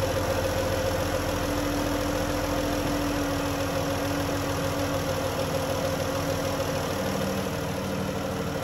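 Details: 2011 Dodge Journey 3.6 V6 after lifter and rocker replacement: smooth, steady idle hum with an even beat and no top-end ticking; the earlier tick is gone and the engine runs normally.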